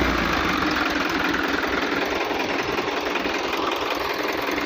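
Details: Hino truck diesel engine: uneven, rattly knocking at roughly two and a half per second over a busy diesel running note; cause not identified.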